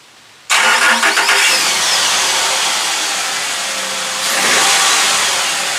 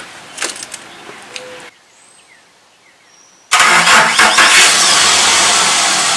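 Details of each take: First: Cold start of a truck after battery revival (cold cranking amps reading rose from under 200 to about 1000): a brief strong crank catches within a second and settles to a steady, even idle. It starts normally. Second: Truck cranking in the morning with an aging battery that failed to start it last winter: starter drags slowly, about three labored turns a second for roughly six seconds; weak battery can't spin the engine briskly.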